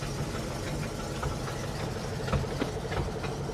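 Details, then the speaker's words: 1973 Buick Regal cold start, driving off: rough idle with an uneven puffing tick over the low rumble, roughly ninety a minute; exhaust leak. "i know that noise sounds scary right i assure you it's an exhaust leak"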